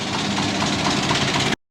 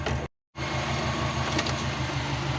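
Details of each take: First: Big-turbo Subaru Forester with external wastegate, street tuning wastegate duty: even, steady engine note with no misses, briefly cut, then same smooth run; running normally. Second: Big-turbo Subaru Forester with external wastegate, battery just charged, master switch on: steady cranking, pause with high beeping, cranking resumes without catching; no start, suspected flooded or out of fuel.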